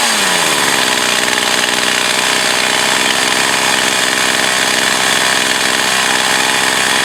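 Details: Echo CS 4500 chainsaw after carb rebuild, possible fuel filter change and high-speed needle adjustment, years of storage: a strong, steady high-revving buzz holds even under the cut with no bogging or surging; it runs and cuts properly.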